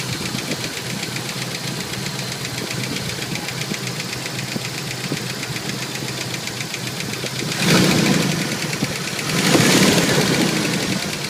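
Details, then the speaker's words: Jeep YJ 2.5L petrol, cold start after sitting overnight: brief rattle/knock at startup, fades, then light steady ticking/pinging about four taps a second returns at idle; pulling plug wires one at a time changed nothing. "It started rattling right off the start, and then it stopped rattling with that knocking. And now it's not knocking at all. No knock. Kind of hear the knocking. Louder. That sounds more like a pinging, a ticking."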